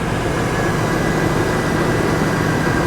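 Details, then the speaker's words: Salvage vehicle with a 6.0-liter engine, slightly low on coolant: a smooth, steady drone with no knocks, misses or squeals over three seconds. The engine runs normally. "runs it runs well runs well I'll give it that"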